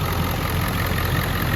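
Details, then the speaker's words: Ford 7.3 Powerstroke after replacing injectors that weren't flowing oil, with an oil change and a modification using hydraulic lines and a bank-to-bank crossover tube. Steady, even diesel idle with a deep regular clatter, no misses or knocks. Expected to smooth out further after driving. "and then there's also a crossover tube from bank to bank that makes these run a lot smoother um i still think it's gonna smooth out after i go for a drive as well"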